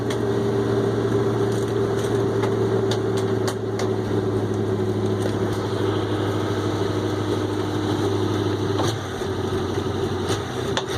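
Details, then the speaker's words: 1965 International Loadstar 1700 at first start with choke, idling smooth and quiet with a low hum and faint scattered puffs and ticks from an exhaust leak at the manifold flange donut gasket on one side. "Exhaust leak, but man, she's quiet. I just hear an exhaust leak on the other side."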